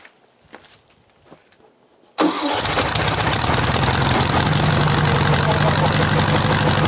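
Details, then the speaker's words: Buggy woken from winter storage, after cleaning the spark plugs and setting the points: engine catches at once and settles into a steady, even idle with no misses or knocks; sounds good. "you have much of a difference that means oh baby that sounds pretty good"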